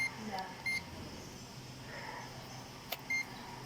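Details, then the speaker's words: E-trike hub motor, stiff to turn by hand, checked with a continuity tester after the controller also failed. The tester beeps each time it touches, showing the winding shorted to ground. Windings and all wires inside are burned. "Yan. Rinig na rinig nyo. Grounded. Sunog ang loob nito. Lahat ng wire, sunog."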